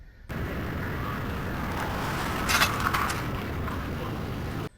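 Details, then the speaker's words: 2009 Toyota Prius driving: steady road rumble with a short cluster of sharp knocks over a bump from the front right; owner suspects worn front struts. "Last week, my Prius decided to start making knocking noises from the front right area."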